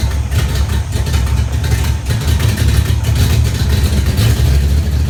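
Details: 1994 GT at idle: deep steady idle with a sharp puffing, chuffing edge on each firing pulse, typical of an exhaust leak.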